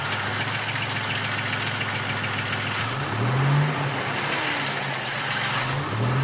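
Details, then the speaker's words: Buick Grand National with a fresh rebuild under 150 miles, break-in driving only: steady low idle with a faint uneven knock and a brief rising whine. Pulling plug wires one at a time made no difference; owner fears a wrist pin; cause unclear. "I disconnected all the spark plugs and they didn't make a difference one at a time. So I'm hoping it's not a wrist pin."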